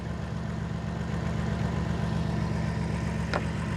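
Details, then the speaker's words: 2007 Dodge Caravan 3.3L V6, codes P0202/P0302, heavy misfire and lack of power despite parts replaced: idle stumbles rhythmically with one beat missing; cylinder 2 injector has power but isn't being fired, PCM suspected faulty. "I'm suspecting that the PCM is no good and it's not uh energizing the the fuel injector driver so to uh to fire the the fuel injector"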